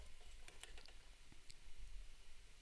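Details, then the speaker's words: Eurorack mechanical sequencer after adding a resistor: soft light mechanical ticks at a steady pace in a quiet room; sequencer now steps correctly without skipping. "so it's not skipping out thanks to that resistor"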